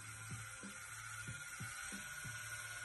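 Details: Flite X1 (Inkjecta) rotary tattoo machine, fully charged, running at a fast setting: a steady high-pitched electric whir with an even buzz and no catching or rattle, healthy.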